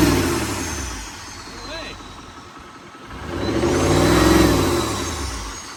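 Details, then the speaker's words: Wrecked L5P Duramax diesel, thought to have about 200,000-220,000 miles: revs up and falls back with deep knock persisting through rev; not thought injector noise, suspected bottom end knock. "Sounds like a like it's a bottom end knock unfortunately, bu"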